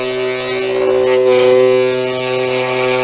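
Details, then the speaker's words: SainSmart 4040 Pro CNC router cutting a wooden tenon with roughly double the usual depth of cut on purpose: steady high spindle whine sags and roughens as the bit digs in, a strained note showing the cut is too deep. "Now I've done this on purpose. I've probably doubled the amount that I normally take off, and you can hear the difference in the cut,"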